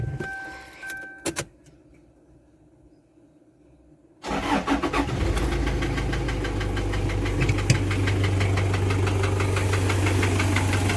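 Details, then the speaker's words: Toyota Surf with 1KZ-TE diesel brought in for engine knock: a regular hollow knock at idle, about three per second. On teardown the piston was loose in a scored cylinder liner; piston slap. "вот смотрим поршень сейчас просто porsche смотрим то есть у нас тук-тук слышно было хорошо стучит то есть вот здесь вот болтается"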